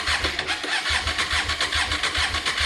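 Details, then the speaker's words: Hyosung motorcycle cranking with key on, scope on magneto pickup and coil output: steady rhythmic starter cranking, about six compression pulses a second, never fires; good crank signal but no spark output. "You can see there, we got good crank, but nothing red. So clearly we've got no spark output."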